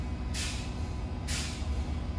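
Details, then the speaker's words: Semi truck transmission with an improperly adjusted clutch: low diesel rumble with harsh rasping bursts about once a second as the shift is forced, gears and sliding clutches grinding before finally going in. "you're affecting the inside that's what you're hearing grind in here when you mash it down finally it'll go"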